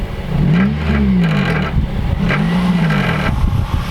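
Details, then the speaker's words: Car revved in bursts: tinny metallic buzzing rises and falls with each blip over the exhaust note, caused by an exhaust heat shield that has fallen onto the mid resonator and is rattling against it. "now when I say exhaust rattle the heat shield under there has fallen onto the mid resonator you can't really see it now but I'll show you when we get the car up here's an example of the noise"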